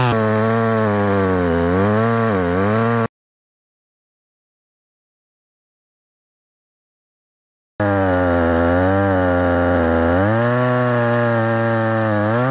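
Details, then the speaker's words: Very small vintage chainsaw bought at a yard sale, never repaired and not run for years, started easily without starting fluid. The small two-stroke rises and falls cleanly through the revs with a crisp, steady tone and no stumbling. Healthy saw. "well that's cool this is chainsaw I've never had to fix and I just started up right now pretty easy no starting fluid after or not running for years and it's idling good and you know the powers right where it should be"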